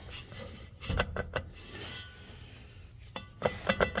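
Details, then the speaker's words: Worn rear driveshaft U-joint on an SUV rocked by hand: sharp metallic clunks in small bursts from excessive play; the source of the clunk-grind heard when driving at low speed, fine at freeway speed; needs a new U-joint. "there you go yeah that's a bad one right there so that's the sound that the driver hear when he's driving around 200 200 RPM up and down on that area"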